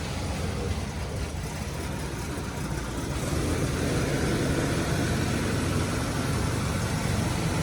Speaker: bit of a knock and a little bit of exhaust leak on startup. Pretty quiet.